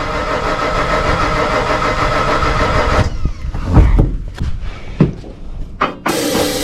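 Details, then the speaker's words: Ford 460 gas V8 truck: fuel pressure now restored at the rail (tank dirty, suspected contamination), but it runs rough about three seconds on starting fluid, sputters with pops and dies; fuel starvation, spark still to check. "so yeah we did not have Fu pressure coming out of this rail and now we do"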